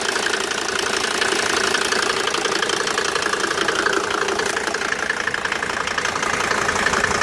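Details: Mercedes W202 with OM605 turbo diesel at steady idle with a sharp, regular knock about three per second over the diesel clatter; abnormal engine knocking, cause not pinned down.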